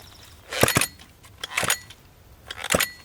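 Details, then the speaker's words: Homelite XL-101 chainsaw, examined with recoil partly reassembled; three slow hand pulls, each giving a couple of firm puffs against resistance; compression sounds good, though the sticky recoil still isn't rewinding. "sounds like it's got good compression but the recoil still isn't rewinding"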